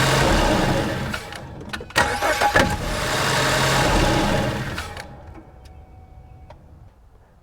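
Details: 2014 Ford Escape cranking and starting, microphone near the engine: odd clattering noise through start-up that settles to idle; it seemed to go away with the serpentine belt removed, vibration is loudest at the belt tensioner, and a new tensioner did not fix it.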